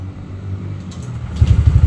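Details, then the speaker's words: Honda Vario scooter with KZR engine after fixing detonation (knocking) from high compression, ECU settings unchanged; starting: low rumble, catches after about 1.5 seconds into even pulsing idle, revs smooth. "Oke teman-teman kalau kita rasakan dipegang di blayer-blayer motornya udah enak"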